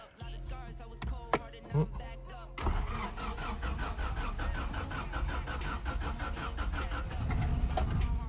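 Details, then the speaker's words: Honda Civic DX with a D-series turbo, sitting 8–9 years and started with a screwdriver in the ignition: the starter churns steadily for several seconds before the engine finally fires, a hard start after long storage. "oh it wants to there it goes good old Honda how about that awesome awesome"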